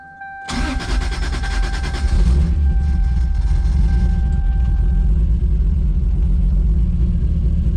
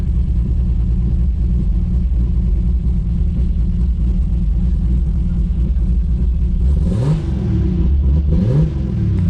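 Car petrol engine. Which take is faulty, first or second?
first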